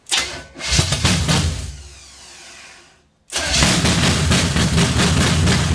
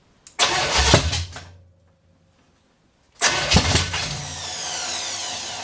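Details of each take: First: 454 big-block V8 stored about 20 years, first start after install: after a short crank it fires loudly and settles into a deep, steady, lumpy idle about four beats a second; it may have a cam. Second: 454 big-block V8 stored 20-25 years, first start on open headers, float bowl filled, possibly running on seven cylinders; barks to life loud and ragged, dies after a second, then refires and settles into a rough run; cause unconfirmed.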